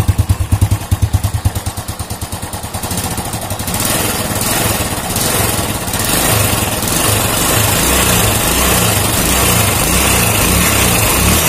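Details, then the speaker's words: Old Honda Supra motorcycle engine after repair of a klotak/gletok knock heard when revving: idle pulses rise smoothly into a steady clean rev, no knocking or rattle. Cause was a loose clutch housing (mangkok kopling) whose rivets didn't fit its holes; now fixed. "Nah kalau penyakitnya Ini udah sembuh alhamdulillahirobbilalamin penyakitnya sembuh dan penyebabnya yaitu di bagian mangkok kopling yang oblak karena paku keling nya itu nggak sopan sama lubang mangkok kopling nya"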